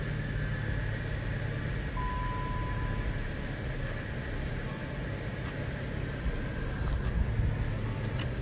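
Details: Chevy box car idling right after tightening a loose ground wire: smooth even idle with low steady rumble, no stumbles; headlights no longer flicker; engine running normally.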